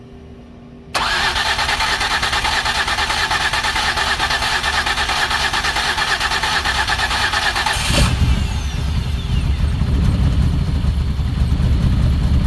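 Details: 2008 Ford Escape, suspected of flooding with too much fuel, now running: uneven, lumpy beat with irregular misses; cooling system heavily pressurizing with smoke, consistent with a blown head gasket.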